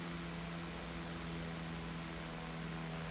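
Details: Restored 1902 GE five-speed stick pancake desk fan with incorrect, slightly unbalanced blade causing vibration at top speed; steady low motor hum and even air whoosh, no ticking or scraping; normal running.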